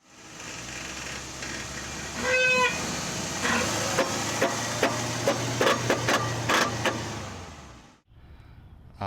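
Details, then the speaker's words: 2011 Mercedes GL 550 accelerating: sharp metallic pings and knocks, two or three a second, over a low drivetrain hum from the transfer case; worn transfer case chain, fixed by chain replacement. "And we have a knocking, pinging, whatever you want to call it, coming from the transfer case."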